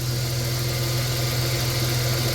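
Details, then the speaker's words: 1990 Dodge Grand Caravan LE, likely original engine at 275k, restarted after storage on a full tank with oil pressure up: smooth, steady low idle hum, no ticking or knocking, though it was ticky when first bought; normal idle. "Listen to that motor pur. Remember how ticky that was when we first bought it? That motor is dead silent for 275."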